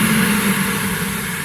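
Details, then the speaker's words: VW Gol G2 electric radiator cooling fan, run by jumping its two thick wires directly together as a test: steady, even rush of air over a constant low hum, no rattle or scrape; fan works normally. "você vai ouvir se der certo você vai ouvir ele ligando ó tá vendo ó ó ligou"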